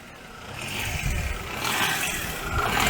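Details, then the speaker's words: Daewoo Matiz just fitted with a new idle control valve, running at maximum electrical load to relearn idle. The idle won't settle, creeping up and surging, and the same old problem is actually worse. "but that's the problem we've had before and start again it's actually got worse"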